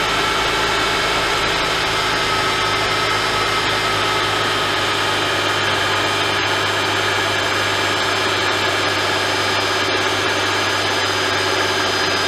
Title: Cold Start Rattle? Mercedes-Benz M272/M273 Oil Pick Up Tube O-Ring | S211 Ep. 2